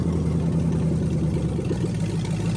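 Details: Rebuilt 1998 LS1 V8 (earlier main bearing damage from bad lifters) swapped into a BMW E46, at first start-up: deep, steady idle rumble with an even beat and no knocks or misses; runs cleanly, though a fuel leak was noted.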